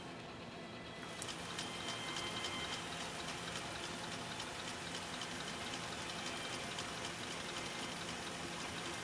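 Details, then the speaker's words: Husqvarna Viking 2000 sewing machine in slow gear (gear reduction), sewing full grain leather: soft, steady whir with even ticking about four per second, no knocks or binding. Runs smoothly in slow gear. "and again we've engaged our slow gear so you're gonna hear that the machine sounds different when it's running it's gonna sound different because that that speed of the machine is being back by the gear reduction"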